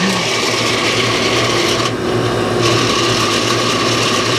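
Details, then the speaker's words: Noisy AC condenser fan motor after 3-in-1 oil was applied to the bearings and the unit was restarted: a loud, rough grinding screech over a steady motor hum returns after a few quiet minutes; dry, worn bearings, and the motor was later replaced. "like we're gonna have to order a new condenser fan motor for this unit this oiling trick just didn't work for me it sounded quiet there for a minute but let me turn it back on I'll show you it's uh it's just getting loud again"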